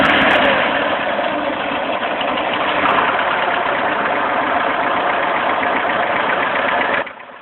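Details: VAZ 2109 engine at idle: a sharp, fast tapping knock, roughly four a second, over the engine note. The cause is unknown.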